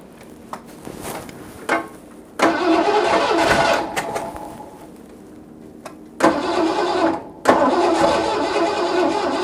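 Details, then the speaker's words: 1986 Ford F-150, start attempt after a carburetor swap in cold, snowy weather, following a roadside breakdown. The starter grinds in short bursts with pauses and the engine never catches. It cranks but won't start; the owner suspects flooding or a fuel supply problem, unconfirmed. "my head might be flooded a little uh adjustment to the car now see if we can get a little fuel up in there"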